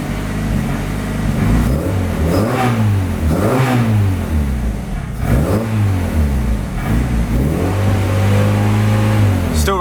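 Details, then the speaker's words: Turbo Honda Civic, first run in 6 months, owner suspects idle starving for air, throttle adjustment set slightly open: surges up and down in slow waves at part throttle, running way too rich, then sags, chokes out and dies; rev hunting. "running way too rich but and then it chokes out and dies but it does sound like it's sort of doing that rev hunt"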